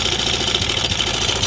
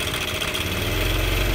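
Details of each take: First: Honda Air Blade scooter at idle with the cam chain tensioner held pressed down as a test: smooth, fast, even hum with no chain slap or rattle, confirming the fault; replacing the cam chain tensioner fixes it. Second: Honda Air Blade scooter at idle, then revved: loud metallic clatter from one side of the engine swelling with throttle; diagnosed as a failed cam chain tensioner letting the cam chain rattle.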